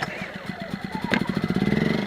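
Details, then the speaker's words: Predator 2000 generator, full gas, vents open, primed then started after about seven pulls; fires up and settles into a quick, even, quiet putter; normal idle before recharging a Zendure SuperBase Pro 2000. "extremely quiet, as you can hear. Very quiet little generator. Okay, she's running."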